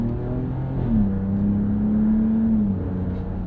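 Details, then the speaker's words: 2025 Ram 1500 RHO, Hurricane twin-turbo inline-6 with 8HP automatic, accelerating on road: hard pull with brief pitch drops at each upshift and small exhaust pops between gears, normal burble. "Little farts between gears from the 8HP."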